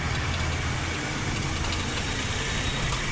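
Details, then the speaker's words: Maruti Suzuki Wagon R K-series running on petrol (CNG off), odometer about 153,872, idling with the AC on. Lumpy, unsteady hunting and vibration from a misfire that worsens under AC load; the AC compressor auto-cuts and the engine stalls. Head, valve guide and seal work planned. "और यह देख सकते हैं कितनी बुरी तरीके से engine इसका हंटिंग कर रहा है वाइब्रेशन कर रहा है"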